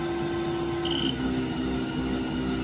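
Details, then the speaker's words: Haas VF-0E, 20 hp vector drive, 7,500 rpm spindle: hum sounds good at 6,000 and 5,000 rpm but wavers and hunts in pitch at 4,000 rpm; spindle sounded rough with high load cutting air before vector drive blew. "it's a seven half thousand rpm spindle running at a six spin the load there now as i turn it down [Music] 5000 still sounds good down to 4000 and hear it start to hunt"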